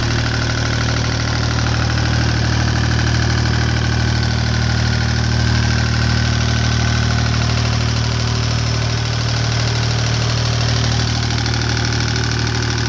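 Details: Deutz 2009L03 3-cylinder direct-injected diesel on a test stand, cold at about 52°F after start; even steady idle clatter with a low regular pulse around three beats a second. Normal cold diesel idle.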